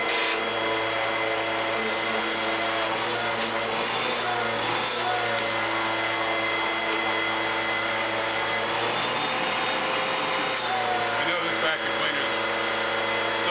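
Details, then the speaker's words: Bissell upright vacuum after full cleaning and rinsed foam filter, reassembled; steady high motor whine with even airflow rush over ten seconds, no surging or rattles, healthy. "Everything's back in place. Let's turn it on. Make a little noise."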